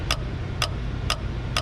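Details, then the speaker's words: Cadillac Escalade with LS swap, AC compressor clutch bench-tested via factory harness piece over the fan noise: four crisp clicks about half a second apart as power is applied; clutch engages normally. "this gets power clutch engages now we got that figured out"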